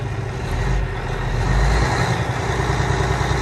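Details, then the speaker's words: Peterbilt 587 diesel truck idling while building air, air gauges at 100: deep even rumble, no knocks or misses, slightly rattly with some vibration; fan clutch working, no blow-by from stack, runs and fires well. "She sounds healthy though. And let's look at that stack, make sure we got no blow by coming up here. A good test for this. Rattly. A little vibration to it. Fan clutch is working. And she runs good. She fires good."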